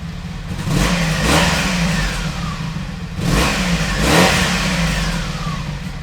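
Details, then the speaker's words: 1986 Honda VF700 Magna V4 motorcycle after fuel system flush, carburetor cleaning and thermostat check, warm: two clean throttle blips rise and fall smoothly with a steady even beat, no misses or clatter; healthy. "the bike was really sounding good I'll be excited to get it on the road"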